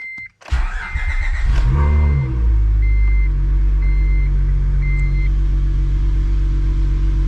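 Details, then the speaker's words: 2004-2008 Acura TL / 2003-2007 Accord V6, supercharger removed, first start after installing 75A solid engine mounts and refilling coolant: catches at once, flares, settles into steady low idle with warning chime; slight steering wheel and floor vibration, no panel rattle; normal idle. "i can feel it in the steering wheel now and a little bit in the floorboard but i'm not hearing any panels vibrating"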